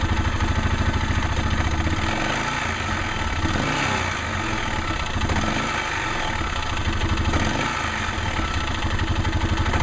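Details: Arctic Cat 650 H1 engine idling with clutch parts and belt removed, loose busy rattle/knock over low rumble; owner notes it seems much louder with clutch and cover refitted; origin unclear.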